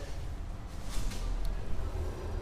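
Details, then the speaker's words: 2017 Peugeot 208 1.2: deep steady rumbling drone from the rear. Owner suspected the left rear bearing, but both rear wheel bearings growl and both need replacing. "Não sei se dá pra ouvir na câmera aí, ó, os dois lados estão roncando, né? Tem que trocar os dois rolamentos traseiros."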